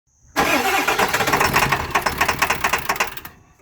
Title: 7.3 PSD crank no start